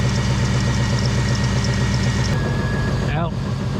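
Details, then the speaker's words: LS-swapped 1999 Chevrolet S-10 pickup with aftermarket AC and self-built fan relays: steady, even idle with a slight tone change as the AC compressor kicks in and fans cycle; sounds healthy, blowing cold air. "Well, dang it. Let me just start this sucker with the AC on and see if y'all can hear them. AC kicks in."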